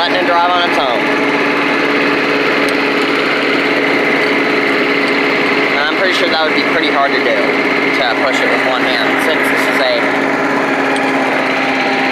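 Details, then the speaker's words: Old Rover Turbothrust made in Brisbane, Australia, small single-cylinder engine at full throttle: a steady, buzzy high drone like a leaf blower with no misses or knocks; runs well, normal running. "but yeah other than that it works real well you know sounds like a leaf blower"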